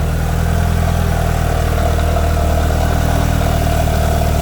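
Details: Mitsubishi Evo after FP Red turbo install with MAP manifold and FP oil lines, freshly started, heat wrap burning off: steady, even low idle with smooth unbroken rumble, no knocks or misses; idling healthily.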